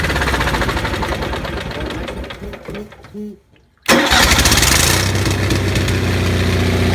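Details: Onan 6500 (6.5 kW) gas commercial generator, missing its muffler, after its severely fouled spark plugs were cleaned: cranks, drops out briefly, then catches and settles into a fairly steady, even run; misfire gone, though voltage still jumps a bit.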